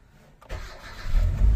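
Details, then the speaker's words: 2012 Hyundai Accent automatic with a no-start and no PRND or check-engine lights, started after repairs restored the P and check-engine lights. It cranks, catches and stumbles with uneven, lumpy pulses, misfiring; mechanic suspects it is low on fuel. "Yun, mandar. Palyado. Wala pang gasolina."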